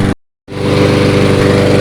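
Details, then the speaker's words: Toro 22-inch Recycler mower burning off excess oil with smoke; after a brief gap settles into a fast, even, steady putter; healthy, stable idle. "at this thing holding a steady idle the smoke's almost aside from it"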